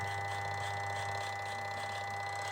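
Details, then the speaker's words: Samsung twin-tub washing machine spin-dryer motor: loud steady electrical hum/buzz, drum does not turn at all; capacitor check did not change symptom, technician concludes spin motor is faulty. "ร้อนเหมือนเดิมนะครับแล้วก็ไม่หมุนเลยนะครับปิดสวิตช์ก่อนก็ฟันธงง่ายๆครับว่ามอเตอร์เสียนะครับ"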